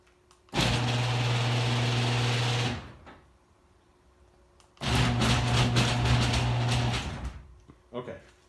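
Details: Screw-drive garage door opener before the screw is wiped and greased: it runs in two bursts with a loud buzzing hum and harsh rattle, a dry drive screw.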